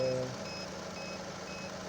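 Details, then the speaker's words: Chevrolet Onix LT 1.2 three-cylinder, idling just after cranking with battery quite discharged: high beeps about twice a second from battery tester warning of excessive cranking voltage drop (reading 9.37 vs 9.6 limit). "Tenemos el equipo que está pitando, o sea, que la caída de tensión fue alta, aunque la batería está bastante descargada."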